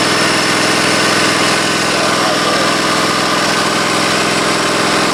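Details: Husqvarna Z254 mower after repair with a used pulley and the belt refitted: steady, even small-engine hum with a buzzy top end, no squeal, slap or knock from the belt; runs normally.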